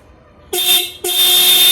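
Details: Ducati 796 horn, bike switched on, tested while the horn mounting bracket is loosened; horn had been dim or dead when tightened: two sharp blasts, a short then a longer one, each a clear steady tone at full loudness; horn working normally.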